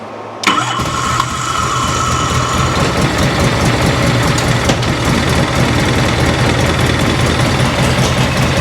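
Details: 1986 Harley-Davidson Liberty Edition Electra Glide Classic V-twin, 23,000 miles, unrun for over a decade, being revived: it catches quickly and settles into a steady, even loping idle with no misses or rattles, running properly.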